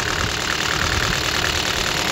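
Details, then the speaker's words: Copart auction car with its engine shaking from first start, coils already checked: harsh, uneven idle with a constant rough shake and no steady beat, consistent with a misfire from a dead cylinder. "okay let me show the engine when I first start it it's shaking I've checked the coil P"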